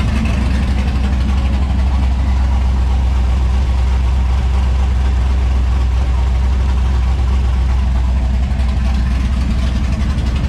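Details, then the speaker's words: 1994 Chevrolet Impala SS, LS swap, with broken headers rewelded, running open headers; loud deep V8 rumble, steady even idle, no ticks or leaks; normal idle. "Sounds good to me. Yeah, she's still loud. Open headers."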